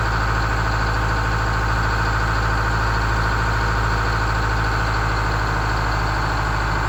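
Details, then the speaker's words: GM 4106 bus generator diesel, restarted after at least 2.5 years unused, idling steadily with a regular low beat of about 160 per minute and no knocks or misses; sounds good. "The engine sounds good. We tightened up some oil leaks."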